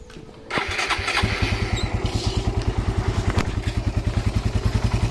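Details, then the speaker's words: Raider R150 right after fitting a new stainless exhaust elbow: catches after half a second and settles to an even, steady exhaust beat, quiet, no puffing or ticking leak; normal idle, fitment good. "So ayan yung tunog niya. Okay naman. Tahimik din. Wala naman siyang singaw."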